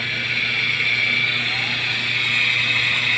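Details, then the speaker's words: Noisy exhaust fan electric motor switched on before repair: a steady harsh, gritty grinding with a high hiss over the motor hum, like a grinder. Worn, dry 6203 bearing. "Sa tunog pa lang parang h ko alam kung gilingan siya or kung pamilyar ba kayo sa kulig parang gan parang Gan sakay ni ay ay so Dinig na dinig niyo naman kung gaano siya"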